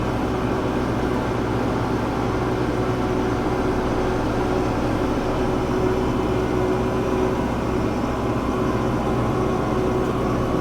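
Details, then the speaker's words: Kubota Grand L6060 tractor snow-blowing heavy snow: under heavy engine and blower load a faint, on-and-off high squeal as a belt slips in the drive. "D see it Dives in here get on a little bit more really hear that can belt squealing some now"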